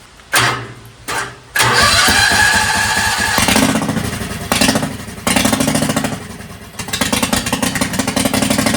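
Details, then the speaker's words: 670cc twin Yerf Dog engine with governor deleted, custom intake and PWK34 flat-slide carb, 50lb valve springs and billet rods. It starts on the old battery after sitting, then idles lumpy with loose pops, idled up slightly; sounds slightly rich (suspected). "I got to idle it up a little bit. Sounds like it's got a little bit more uh oomph to those pops. Also sounds a little bit rich."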